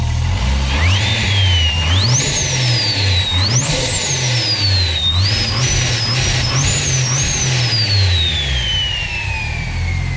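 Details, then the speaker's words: Built TB42 engine with T51R-mod turbo, intake off, throttle blips: loud jet-aeroplane-like whistle rising and falling over the engine note, turbo spooling freely; normal turbo whistle. "So it sounds like a bloody jet aeroplane. So that's what it does. It just whistles like crazy."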